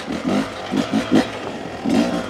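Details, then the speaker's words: Beta 250 two-stroke after jetting change (38 pilot, Suzuki ECJ needle), steady throttle with clutch slipping: crisp, even pickup off the bottom, no bogging; much cleaner low end. "off the bottom like I said holding steady throttle slipping the clutch a little even nice you can hear it's a lot lot cleaner down on the bottom not so uneven"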